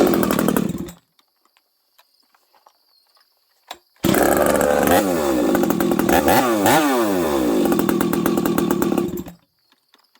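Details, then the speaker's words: Husqvarna 371XP chainsaw, previously misfiring and hard to restart, running after a new spark plug and replaced coil. Revs up in bursts with a wavering, burbling note that won't clean out at speed; running too rich. "Now it's too rich."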